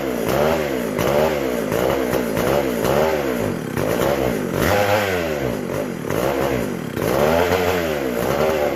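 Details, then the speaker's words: McCulloch SP125 two-stroke chainsaw, after fixing a large gap between carb and intake: revs up and settles back repeatedly, crisp and even with clean pickup, no stumbling; runs healthy. "That sounded a lot better."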